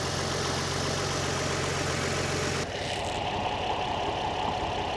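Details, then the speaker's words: Nissan 350Z with swapped donor engine idling after gasket replacement on lower collector plenum and throttle body; normal fast light injector ticking heard at cylinder two, yet engine light still on, cause not found. "Okay, I can hear the fuel injector clicking on the on this will be cylinder two."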